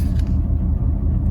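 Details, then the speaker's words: Fiat 500 (Cat S repair) after a drive on premium petrol with Redex added: deep, uneven, lumpy rumble at idle; it drives fine but idles rough, with vibration thought to come from the air intake pipe. "as you can hear or see we're still doing it it's still rough it drives fine absolutely fine i think the vibration is uh is that pipe"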